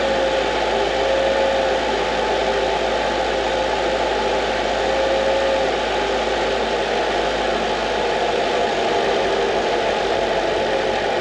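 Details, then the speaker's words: 2005 Mercedes CL55 AMG, M113K supercharged V8, idling right after its first oil change following over 5 years in storage: steady, even idle with a smooth hum, no knocks or misses; normal idle. "then we need to start it up and see if uh starter see if the level is good"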